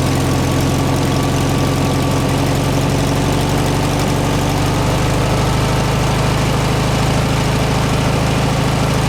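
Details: 1967 VW air-cooled flat-four (ragtop), long-stored, on old stale fuel with fan housing off; strong steady low throb, even beat, no misses or knocks. Running healthy; owner suspects missing accelerator pump.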